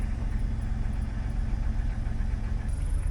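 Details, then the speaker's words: 2001 Jeep Cherokee XJ idling after a hose replacement: low, steady, even rumble with no knocks, misses or hunting; a dragging sound was attributed to a stuck brake; normal idle. "seems pretty normal let's go put some gas on it seems to be running fine"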